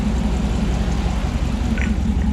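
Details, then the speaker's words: Rebuilt 2009 Hemi 1500 TRX4 at warm idle with thermostat and electric fan working: deep even rumble from aftermarket exhaust, clean exhaust, steady beat with no knocks or ticks; normal warm idle. "so just to show you here got nice clean exhaust got a bit of a rumble to it because it is an aftermarket exhaust"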